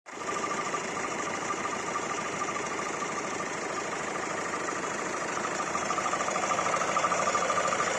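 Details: Hyundai i40 CRDi diesel at idle: fast uneven clatter with a thin ringing tone riding over the engine, abnormal weird noise, cause unknown.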